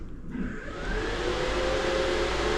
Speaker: can hear that going. I have already tested that, but I'm just testing it again. That only pulls 2 amps while it's running, but it's got a 10 amp soft starter, so I wonder what that.